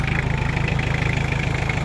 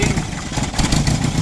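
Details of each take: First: Toyota Tamaraw FX, Toyota 2C diesel, after repair of misfire and hard starting; previously died when loaded: steady, even low clatter with smooth regular pulse, no misses or knocks; normal diesel idle. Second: Toyota Tamaraw FX with Toyota 2C diesel, brought in for hard starting and low power, before repair: uneven, lumpy chug with stumbling beats and an unsteady idle that won't hold RPM and dies; diesel misfire and rough running.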